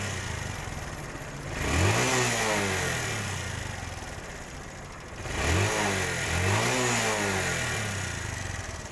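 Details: TVS Star City 110cc motorcycle after carburettor and spark plug adjustment fixed exhaust backfire and misfire: two clean throttle blips rising and falling smoothly, no pops or bangs from the exhaust; engine revs healthy.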